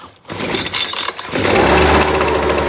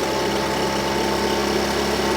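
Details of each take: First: Husqvarna 125BV two-stroke, started on choke and run indoors: the revs climb, then sag and stumble when throttle is given before picking back up, bogging; a tune-up, carburetor cleaning and a fuel change are planned, cause unconfirmed. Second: Husqvarna 125BV blower that bogged at full throttle, after setting low jet to 1 1/2 turns and raising idle: small two-stroke buzzes at steady, even idle with no stumbling or surging; normal idle.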